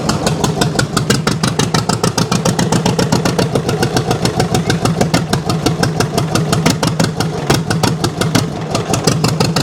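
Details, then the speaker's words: 1929 John Deere GP twin on very first start, choke just turned off: loud slow evenly spaced exhaust pops as if only one of two cylinders fires; uneven running, owner suspects dirt on shield burning off, sounds better as it runs. "I think it might be burning that dirt off the more it runs the better it sounds"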